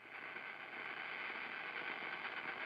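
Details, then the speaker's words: Mesa F50 guitar amp with master turned up and nothing playing: constant hiss, loudest in upper mids, no hum; excessive noise, JFETs or bad capacitors suspected, not confirmed. "oh boy we got noise wise yep there's noise awful so that might be J fets it might be bad caps"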